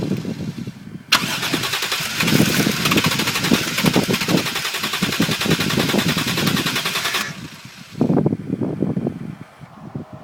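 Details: Toyota Soarer cranks steadily and fast for about six seconds, then gives a few weak firing bursts but never runs; battery, fuel pump, lines, filter and fuel ECU reportedly fine; owner suspects insufficient airflow.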